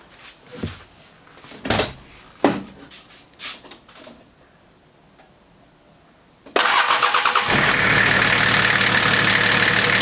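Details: Nissan GQ Patrol diesel after fixing its engine or injector knock: it cranks briefly, catches at once and settles into an even, knock-free idle.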